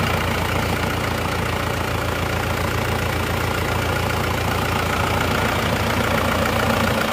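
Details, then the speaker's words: Isuzu Panther diesel, repaired after coolant loss: steady, even diesel clatter at idle with no misses, knocks or hunting. Power is judged back to standard. Normal idle. "Oke, mesinnya sudah hidup."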